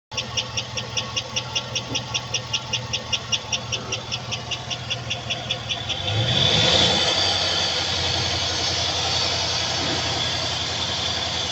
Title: Lifter ticking sound #shorts #car #@AutoMechanic88